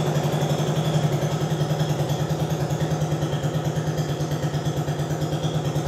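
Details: Translucidus MT02 transparent educational single-cylinder Otto-cycle engine running as a demonstration; even thump a bit over two beats a second, steady and clean with no knocks, normal running.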